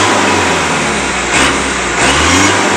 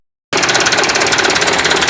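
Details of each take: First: Mitsubishi Canter PS125 HD diesel after injection pump timing and fuel load adjustment: smooth repeated rev bursts dropping back evenly, with a knocking beat called acceptable and only moderate smoke; normal revving. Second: Mitsubishi Canter PS125 HD diesel truck after advancing injection pump timing and adding fuel load: sharp, rapid metallic knock over a fast idle, engine shaking slightly but fine at high rpm; knock from advanced timing.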